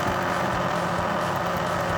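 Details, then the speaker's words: Older laptop cooling fan running with a constant loud, airy roar with a rough edge and no change in pitch, still blowing air; owner unsure whether something is caught in the fan or it is broken. "is that the fan it's definitely the fan but is there something caught in it or is it [Applause] broken"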